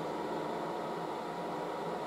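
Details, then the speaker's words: Late-1960s GE HD-8C bonnet hairdryer running, hose getting warm; soft, even airy hiss with a faint steady hum, no rattles or pitch changes, very quiet; normal operation. "so the hose gets warm it's actually pretty quiet very it's the quietest hairdryer"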